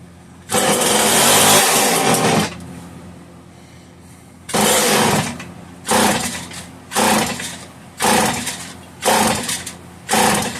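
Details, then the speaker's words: Homelite 150 chainsaw on full choke, owner trying to wet carb diaphragm with fuel: repeated rope pulls about a second apart give short rasping bursts that never catch; cranks without running, carb kit ordered, cause suspected. "If I can just get that diaphragm wet, if I can get some fuel to it, sometimes that's enough to bring them back to run a little bit to some capacity."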